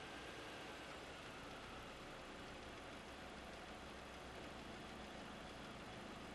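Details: 2001.5 VW Passat 1.8T automatic, 98,500 miles, at quiet idle with a faint, fast rattling tick over the engine note; the cam chain tensioner was going bad, and replacing the chain and tensioner fixed it.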